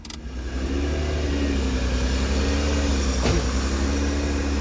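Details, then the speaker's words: Heavily modified turbo Honda NSX, first start after sitting 10 years with suspected sticking injectors and no coolant: just-started engine drones at idle, pitch slowly wavering up and down; owner suspects the idle air control valve. "right like the fluctuating idle that's pretty much yeah the idle air control valve or whatever it is"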